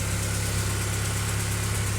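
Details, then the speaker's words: Honda Accord G22B2 engine, first start after spun bearing repair with new crankshaft: smooth, even idle with steady low hum and no knocks or ticks; normal idle. "But yeah, I mean, she's running. She sounds healthy."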